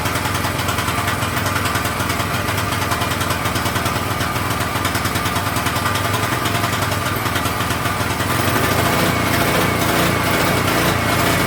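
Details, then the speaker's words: King Canada 3000W portable generator with no air filter fitted, running a heat gun as a load test; the small engine buzzes with speed swelling and sagging, then picks up near the end: governor hunting, suspected from the missing air filter. "Hopefully, she doesn't hunt as much. She probably will, cuz we don't have an air filter."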